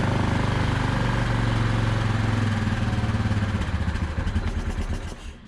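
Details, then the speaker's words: 2010 Yamaha Grizzly 450 ATV barn find, lumpy uneven idle that sags and dies once the air box lid goes on. Owner suspected blow-by but found milky oil mixed with coolant; engine likely toast. "just dies as soon as I put the air box lid on because I think there's so much Blow by"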